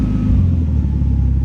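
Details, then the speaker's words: Engine idling on an ECU with ignition timing normally about 30.5°: the ignition angle lock is switched on to check cam position sensor setup, and the idle rumble shifts to a different, heavier beat as timing locks at 0°. "I just go to my trigger side and from the ignition angle lock, I click this on and you can hear the engine sound different because it changes the ignition angle"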